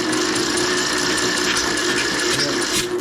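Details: 2006 Craftsman LT3000 lawn tractor, spark plug out, jumper on 150 A engine-start mode: steady, labored whirring, no firing or speed build-up, bogs when the plug hole is finger-plugged. Attributed to weak battery and loose connection; owner suspects the starter is shot and swaps it.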